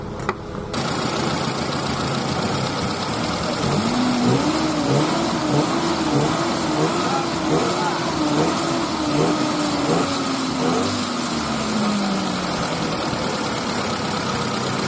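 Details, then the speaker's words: Car started after refitting the drive belt and alternator to check for the earlier acceleration noise: it catches and settles to a steady idle, revs drifting down smoothly with no squeal or knock. The noise is gone. "就是没这个响声的。"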